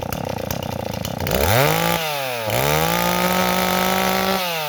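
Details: Stihl 026 two-stroke chainsaw restarts and revs up and down with a slightly blubbery, uneven idle. The mixture is set a little rich, and it bogs in wood and loads up on fuel after idling.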